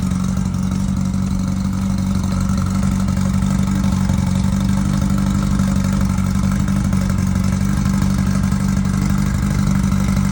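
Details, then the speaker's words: Early 1968 rally VW Beetle with freshly built 1776cc air-cooled flat-four, first start and break-in after install, about 95°F ambient. Steady fast-idling rumble with strong even drone, no knocks: normal running during break-in. "finally this car's got a motor she's got the heart back in it the heart transplant is has been done and now we're going to fire it up and break it in and uh go from there"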